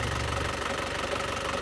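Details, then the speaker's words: 2016 Isuzu Panther LS Turbo diesel, engine bay open, idling: steady, even, crisp light clatter, smooth with no knock or misfire; no blow-by smoke from the oil filler, turbo normal, engine very healthy. "Dan seperti ini untuk kondisi mesinnya masih sangat halus. Dan untuk karakter mesin di Panther ini sangat renyah sekali teman-teman."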